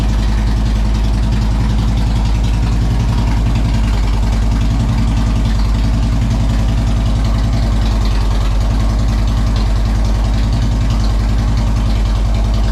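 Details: 2007 Harley-Davidson Road King Custom, started in neutral after a key fob battery replacement fixed a post-winter no-start caused by the alarm: the V-twin settles into a steady, even potato-potato idle, no misses or knocks; healthy.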